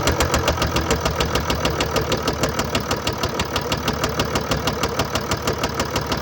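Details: 2013 Mercedes-Benz E350 4Matic, 2987cc 265PS diesel (engine code NZAAB501), 224,763 km, at idle. A sharp, regular knock about three per second rides over the diesel clatter, steady throughout. Bearing damage and a defective injector.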